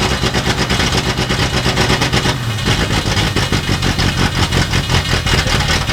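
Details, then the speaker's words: Sixties Ford Galaxie project V8 with loud open exhaust, just started while in gear (rear wheels spinning). It has a slow, sluggish, uneven lope with a dip midway, sounding lazy; retarded ignition timing and rich mixture, needs more timing. "That don't sound good. It just sounds really lazy. Let's give it a little timing."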